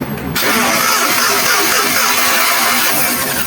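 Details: Suzuki Multicab hard starting: engine cranks briefly then catches with a loud, uneven roar that settles rough; slow reluctant start, cause not yet known.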